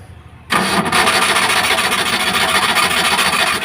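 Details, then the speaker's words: Maruti Omni MPFI without immobilizer, cranking but not starting after ECM cleaned, refitted and timing checked: starter churns at a steady rasping rate over three seconds but never catches; ECM suspected faulty, second-hand replacement to be fitted. "देख सकते हैं य गाड़ी start नहीं हो रहा है ठीक है तो हमें य इसमें दिक्कत था"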